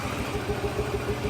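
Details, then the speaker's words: Z project car started on the first try with a little gas: the idle is uneven, with a soft stumble every few beats over a steady low putter. Owner hears a miss and thinks it needs a tune-up; tach not working. "this [ __ ] runs it's a little shaky you might need a tune-up or something it sounds like it's got a little bit of a Miss in there I can hear it"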